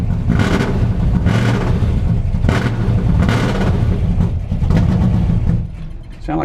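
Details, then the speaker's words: New 481 engine in a truck, started cold on a cool day: deep V8 idle surges about once a second, then sags and nearly dies. Low fuel pressure; the front carburetor was flooding over, floats suspected. "running out of gas though see what's going on here uh no we got some fuel pressure but not a lot"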